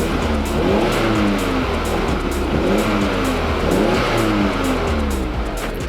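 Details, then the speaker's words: Modified Audi TT after exhaust repair, heard from the rear: a deep, steady burble with no puffing, ticking or blowing. The exhaust is sealed and the engine runs mechanically well; normal exhaust note. "there is no blow it sounds perfect this car is running mechanically amazingly and it's the first time I've heard the exhaust pretty much since I bought it"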